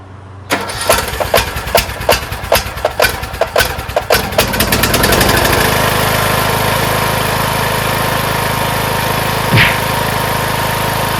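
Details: Craftsman T1600 lawn tractor, first start after camshaft/compression-release replacement with the fuel solenoid and lines reconnected: about a dozen slow cranking strokes, catches near five seconds, then a steady, even idle; it starts and runs healthy.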